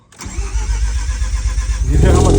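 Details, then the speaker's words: Car after the botched battery relocation kit was redone with a better battery setup: a quick, even starter whir spins noticeably faster for about two seconds before the engine catches. Normal, healthy cranking. "do you hear how much faster the starter was spinning bro I have like legit never heard the starter spin that fast"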